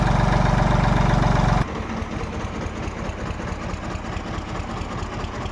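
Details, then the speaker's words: Diesel engine (farm pump/tractor) after injection pump setting fix and head work, even steady idle with regular low thumps, no stumbling or knocking; takes load well, sound no longer changes after running warm, good pickup; normal idle. "यह [प्रशंसा] देखो यह आवाज है load भी सही ले रहा लोड नहीं और थोड़े चलने के बाद इसकी आवाज चेंज हो जाथ अब देखो बिल्कुल चेंज नहीं"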